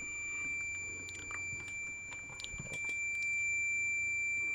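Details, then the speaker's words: Continuity beep test on a multimeter checked against a decade box set to 97 ohms, meter reading 83: a steady high-pitched continuous beep still sounds near the cutoff; this meter's beep threshold works out to about 100 ohms. "We're at 97 ohms. Reading 83 on here. Still beeping."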